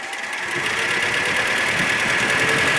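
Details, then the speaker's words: ZMZ 402 four-cylinder petrol engine, cold, throttle blipped from about 550–600 rpm idle: sharp metallic rattling clatter rising quickly, knocking then quieting; cause was piston pin to connecting rod play in all 4 cylinders. "Вот и сразу появился стук. Хотя до этого его не было. Может постучать и успокоиться."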